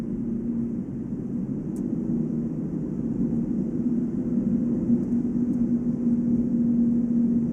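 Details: Volvo S80 on brand-new Goodyear Eagle F1 Asymmetric 6 245/40 R18 summer tyres: steady low hum only at 145 km/h (90 mph) ±5, unchanged by accelerating, braking or cornering; wheel bearing doubted (no play), tyre tread or rim design suspected.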